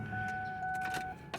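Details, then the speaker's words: 2000 Ford Taurus wagon with a junkyard replacement engine, at idle: a thin, steady whine from a remanufactured power steering pump that sounds like it is failing. The owner also thinks the engine is running rich. "the power steering unit still makes noise it sounds like it's actually dying"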